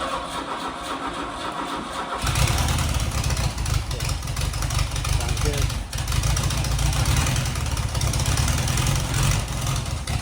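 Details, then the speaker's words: 1977 Fiat 124 barn find, fresh gas and fuel dripped on the carburetor: cranks, catches after two seconds, then lumpy uneven idle with steady stumble; running on three cylinders, one dead, but starts easily. "not bad for only three cylinders almost sounds like it's got a big hand some big cans in it all right so it's not great but it runs"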